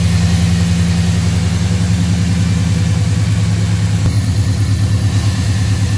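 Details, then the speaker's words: Truck converted to TBI, next-morning start after fixing an unplugged MAP vacuum line and idle control valve connector and cleaning injectors: steady, even idle with a smooth low throb, no stumble, surge or high idle; running healthy. "well she sounds good running good"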